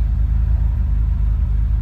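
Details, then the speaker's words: 1980 Ferrari 308 GTSi, recommissioned, warmed up after cold start, in neutral, engine and exhaust heard: smooth low burbling V8 idle holding a steady beat, no stumbles or ticks; normal warm idle. "And she is now in her perfect idle. Thanks to the superb tuning of Auto Sprint Chicago."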